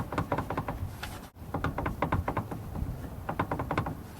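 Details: 1989 Jeep Cherokee XJ 4.6 I6, AW4, NP231, after a Dana 30 pinion seal and preload fix: the shaft is rocked by hand, giving irregular dull clunks. The front is now solid; a slightly loose transfer case bearing is suspected.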